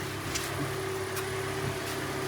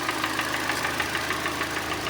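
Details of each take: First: Hyundai Elantra 1.8 G4NB, 173,000 km, automatic, after repair of scored pistons and an under-hood knock: steady, even, quiet idle with a smooth hum and no knocks or ticks. The engine runs healthy. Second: Hyundai Elantra restyle 1.8 G4NB, automatic, front-drive, 173,000 km, knocking began in winter: hard, hollow metallic knock about six a second over idle, piston slap from scuffed piston in its bore.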